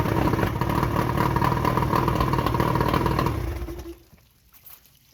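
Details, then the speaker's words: Johnson short-shaft 40 hp outboard, believed 1987, first start after repairs with a little prime and a pinch of throttle; catches and runs with a quick, even two-stroke buzz for a few seconds before winding down; clean start. "A little bit of prime, and let's see what happens. Well, that fired right up."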